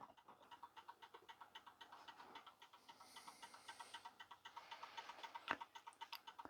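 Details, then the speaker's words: 1930s Garrard English mantel clock after check, adjustment, re-oil and repair, hands refitted and pendulum on: crisp, light, even tick-tock about four per second; complete, running and in beat. "there we go complete and running and sanding magnificent"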